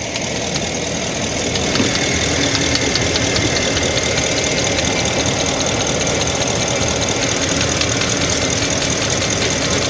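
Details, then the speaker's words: 2012 Ford F350, 6.2 L gas V8, code P06B6 knock sensor 1 performance: busy idle with uneven ticking snaps, two or three a second, while water is sprayed on the coils; the ignition coils arc to the block, misfiring and reading as knock. "I was able to see before that these coils are shorting to the block and I believe that's what's causing the knocking because it's shorting to the Block it's creating excessive noise on the Block"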